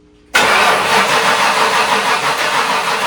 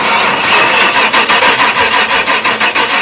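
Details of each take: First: 1997 Ford F-250 with 460 gasoline V8, cranking on a different battery; steady, slow-feeling cranking for about six seconds but never catches; owner concludes a fuel issue, cause of no fuel unknown. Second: 1997 Ford F-250 with 460 gasoline V8, started with throttle held slightly open after cleaning terminals; cranking catches into a rough but sustained run; bad ground cable at the flat band blamed for earlier no-start.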